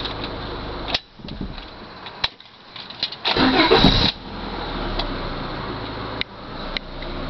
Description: There's a knocking sound that happens about 3 times in a row. It can also be felt in the car.